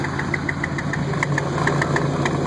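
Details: 2000 Ford F-150 5.4 at idle: sharp rapid chirps in time with the engine over a steady hum, traced to an exhaust leak at the exhaust pipe flange. Exhaust leak.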